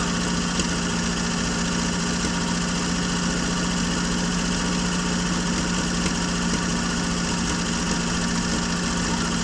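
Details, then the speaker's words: 1965 Jeep Wagoneer with the original 3.8L 230ci overhead-cam six, first run after 20 years sitting, with valves set and distributor adjusted and the carb flooded earlier. Steady, even, low idle with no misses or knocks: normal idle. "But as you can see here, we're finally there, and you can finally hear it turn on after 20 years."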